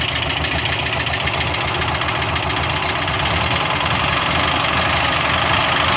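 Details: LuAZ, first start after purchase: rough idle with a quick, uneven tapping about three to four times a second; strange knock inside the engine, cause unknown.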